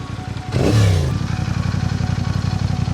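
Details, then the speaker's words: Motorcycle revs, then settles into a fast, uneven pulsing idle with a light metallic chain-like chatter from the engine; the owner can't find the cause and takes it to a service shop. "Evet motorda anlamsız bir şekilde zincir sesi geliyor. Yani çözemedim şu an neden olduğunu."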